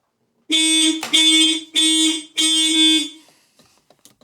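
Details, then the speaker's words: Volvo 945 barn find, unused since 2017, before first start in 7 years: four loud horn blasts, each about half a second, roughly two per second, then silence; the alarm horn sounds after the door is opened with the key, part of the disarm procedure. "open the door with the key alarm with activate and the horn will go off wait until it's done honking about 30 seconds"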